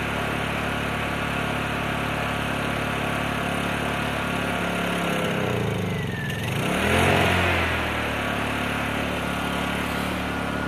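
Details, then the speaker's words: Predator 3500 generator, about three years old, started after months in storage at about 57 °F: steady small-engine drone with a brief dip and recovery, still needs half choke and won't come off choke. "it's at about half choke right now didn't want to come off a full choke it's about 57 degrees today i think so i would have thought it would have come off a choke this early but i guess not"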